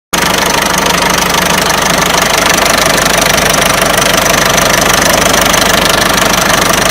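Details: Peugeot 307 1.6 90 hp engine: loud, sharp rapid clatter of roughly three knocks a second, steady throughout; owner asks where the engine knock comes from, source unknown.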